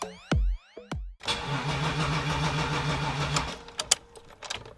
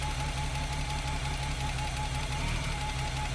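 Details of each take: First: BMW E30 323i Baur first start attempt after sitting 10 years with a new battery: two bursts of even starter cranking, a few seconds each, no firing; fuel gauge near empty, no fuel delivery. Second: BMW E30 323i Baur, after 10 years sitting, running on starting fluid sprayed into the throttle body: even, steady idle with a smooth low pulse and a light constant hum, no knocks or misses; runs pretty quiet and healthy.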